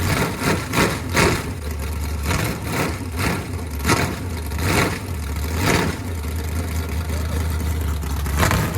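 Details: Chevy 350 small-block V8 with open headers, first start after sitting for years, run on a stand; loud, even, loping idle with no knocks, misses or ticks, sounding as healthy as before.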